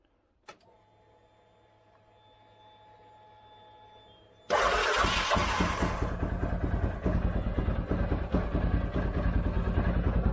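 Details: 2013 CFMOTO Z Force 6 after a fuel pump change, with 45 PSI and the filter primed but the tank probably low on fuel: steady pump whir, a sharp start and cranking, then the engine settles into an even, regular idle with no misses.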